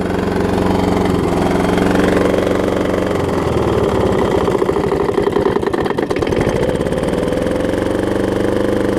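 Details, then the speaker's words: Troy-Bilt self-propelled mower with blown Briggs engine at wide open throttle, smoking less than before: runs unevenly with a ragged, stumbling patch and audible knocking; rough-running engine. "And that's wide open. I don't know, just for kicks, I might let it run out here a little while since it's not smoking as bad. You hear it knocking too. Fun sounds."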